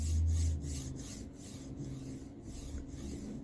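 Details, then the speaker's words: Formbot Vivedino MGN9H linear rail block on a Voron 2.4r2, after the balls were refitted: soft, even rasp sliding along the rail. The earlier weird noise is gone, though the block still feels loose with no preload. "it's better but I still feel there's something wrong with it so it doesn't have any kind of preload as you can see it slide on its own weight uh but it doesn't make that weird sound anymore"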